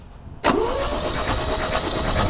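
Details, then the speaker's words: 1972 Opel GT after 30 years sitting, freshly charged battery, good compression: after a quiet moment the engine catches abruptly and runs rough and uneven while oil comes up; cranking and start attempt after long storage. "good compression yeah yeah they're all spinning too bringing that oil up"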